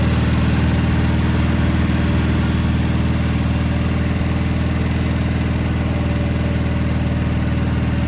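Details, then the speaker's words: 1987 Gravely Professional 18G riding mower, Kohler Magnum 18 engine, after replacing the gas cap fuel gauge that had been whistling: steady, even low idle thrum with no whistle or stumble; normal idle. "what I will do now is start the engine and see how she runs with the newly installed fuel gauge"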